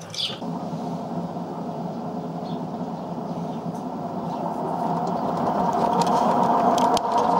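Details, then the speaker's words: LG WD-1239 5 kg direct drive washing machine loaded with weight and spun at high speed: steady hum with dry rattle and droning from worn rear drum bearings, not fully failed; bearings to be replaced. "bắt đầu kêu lạch cạch và kêu vo vo. Bạn có thể nghe thấy tiếng ồn của vòng bi ở phía sau ..."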